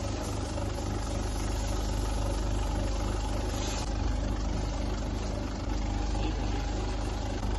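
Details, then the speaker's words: 2006 Honda City with misfire, low pickup and jerking: fuel injectors on high-speed test, even rapid pulsing about four per second over low hum; injectors fine, only seals bad and being replaced. "Fuel ejector जो हमने check कर लिए ली कर लिए है इनको high speed check कर लिया है फ्यू इटर ठीक है"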